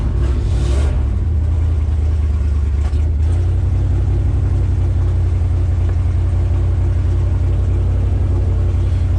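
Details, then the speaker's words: 1972 GMC ramp truck, 454 Chevy big-block revived after 27 years sitting, with 1989 mufflers: deep, even V8 rumble rising with revs and settling smoothly, no rattles or blowing; exhaust sounds healthy. "Those $35 1989 mufflers don't sound too bad, do they, Duff?"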